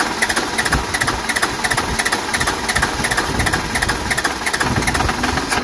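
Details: Cummins 12-valve diesel swap after P7100 pump repair and refitting the AFC housing correctly, not run in a long while: steady, even idle clatter about three beats a second, no skips or knocks. Normal start and idle.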